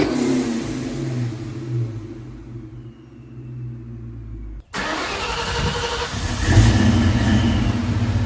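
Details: 1999-04 Mustang GT 4.6 V8 first start after Flashark long tube header install, wheels off, checking for noises: cranks, catches, steady idle and clean revs; no ticks, leaks or rattles.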